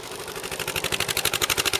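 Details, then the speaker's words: Rebuilt KLR single-cylinder motorcycle, stock exhaust: crisp even thumps at steady idle, no knocks or misses; runs well, but charging fault under diagnosis, stator suspected as one leg reads about 8 to 60-70 volts, around 60 V at 4000 rpm. "Sounds good. I think we're just going to leave the stock exhaust on there, and we're going to try to keep her in the quiet mode. So. Anyway, seems to run pretty good."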